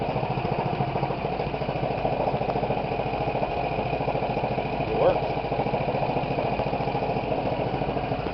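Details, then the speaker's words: 10 HP Tecumseh small engine driving a homebuilt alternator, started with choke then choke off: steady even putter at constant fast idle, no knocks, misses or surges; running normally and charging. "it's working"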